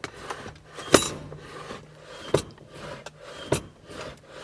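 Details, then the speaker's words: Mercedes M111K project car, engine off: sharp squeaks and clicks about every second as parking brake lever is worked, lever missing locking button; dry pivot squeak, brake is working. "might be able to hear the squeaking of the E braake the E braake is in fact working"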